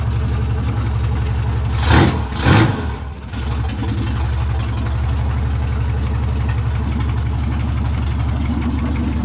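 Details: Classic Rover Mini Sidewalk, rebuilt engine first run after 14 months off the road, no exhaust fitted, out of gear: after a couple of sharp blips settles into a loud open-pipe idle, low and steady with an even beat; normal idle.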